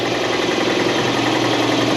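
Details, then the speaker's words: Air compressor in a freezing-cold shop during repair of a 1968 Ariens Sno-Thro snow blower: dull, laboring pump thump at a steady but sluggish beat, no squeal or knock; compressor not running up to speed in the cold. "Listen to my compressor. Listen to this thing. It's freezing in here. This thing's not even running fast."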